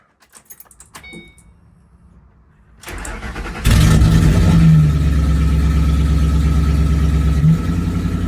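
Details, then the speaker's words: First startup of an old Ford 3V after fitting a Ford Performance intake manifold and throttle body, with a stretched intake hose and a slight oil leak: cranks, flares high, then holds a rough, lumpy, unsteady idle. "That was terrible."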